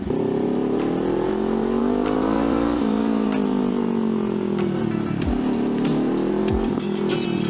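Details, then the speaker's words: Honda CL500 after an ECU remap (air-fuel ratio), with upgraded exhaust and high-flow air filter: revs rise and fall smoothly, with only a couple of single dull pops on sudden throttle closing instead of the former machine-gun popping. "may konti lang pero ano pa rin eh okay lang hindi siya yung machine gun paisa-isa na lang yung putok."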